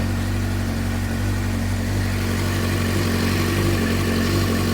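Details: 2007 Suzuki GSX-R600 after ECU (CDI) replacement, still running after jumper cables disconnected; steady even idle, smooth low beat, no misses or knocks: runs healthy.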